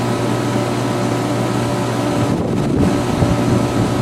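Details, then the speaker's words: Air conditioner outdoors on a roughly 95°F day, hot and overworked: steady low compressor hum under loud even fan rush, no rattles or knocks; working hard but healthy. "She is hot and overworked. You can hear the compressor in that. It's definitely going."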